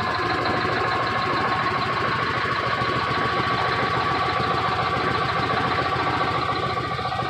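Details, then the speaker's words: Cold Detroit Diesel Series 60 11.1 in a Freightliner FLD120 with bad injectors: rough idle with a loose knock about three times a second, running on nearly 2 cylinders. Owner suspects valves not working because it is too cold. "It's too cold though, so that means that those valves are not working. She has a bit of a knock, but I mean, damn."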